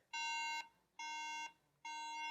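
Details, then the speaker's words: 2009 MacBook Air about six years old that crashed: pressing power gives three identical beeps, each about half a second, near 1 kHz, with a black screen and no boot. "can hear it's just beeping at me but there's nothing booting it's just a black screen and it just beeps at me and that's it"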